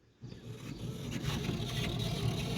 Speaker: you guys hear that motor running the window's not moving we are 99.9% sure it needs some t pins put in it